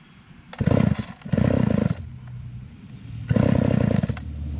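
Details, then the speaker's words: Craftsman 3.7/Poulan 3700 chainsaw, unused for years: revs in ragged bursts, sags to a weak uneven idle, keeps stalling and needs the choke pulled repeatedly; the fuel line was found cracked and needs replacing. "all right so this one here we were just trying to run it and it kept stalling out you had to keep pulling the choke but it wasn't really our cable so let's see if we can get it running a little better"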